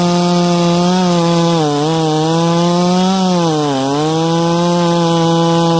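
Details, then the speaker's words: Ported 66cc chainsaw cutting wood with very hard knots: steady howl that sags briefly twice, stumbling a split second before getting back on the pipe; momentary bog under load. "again when these knots are super hard in this piece and uh you could hear it it stumbled for just a split second but it got right back on the pipe"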